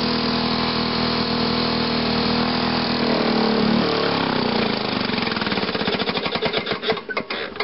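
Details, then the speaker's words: 1979 Lawn-Boy 7260G two-stroke mower cold started after three primes; crisp firing settles into a quick even popping run, then winds down, runs clean; normal two-stroke idle. "so turn it on give it three primes and let's fire it up there we go"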